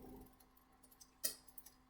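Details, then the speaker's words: Bicycle rear derailleur with indexed gears: faint ticking then two sharp metallic clicks as the chain tries but fails to change gear due to slack cable; fixed by unscrewing the barrel adjuster to tension it. "you can hear this yeah yeah it's trying to change but not quite changing"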